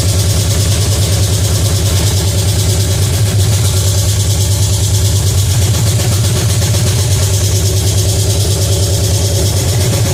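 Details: Pontiac 350 V8 in a '50 Pontiac gasser, first fire-up, timing at about 8 degrees: fast, steady idle with an even lope that won't settle; high idle because the choke is not connected.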